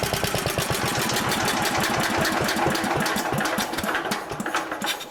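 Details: Old 1960s Briggs and Stratton single-cylinder, about 10 hp, Hale fire pump unit, on choke, freshly tuned, fresh oil, some old gas left: catches almost first pull, settles into steady even firing; starts and runs healthy, slightly smoky.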